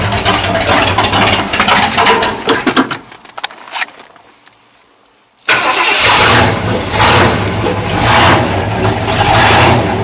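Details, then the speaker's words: 1979 Ford dentside truck with a newly installed carburetor, just started and not yet warm: it fires, stumbles, dies, then restarts into a heavy, loping idle. Float set too high is flooding it, running rich at idle. "I think the float set too high again just choking it out at idle we'll have to tweak that some yeah it's getting too much fuel again"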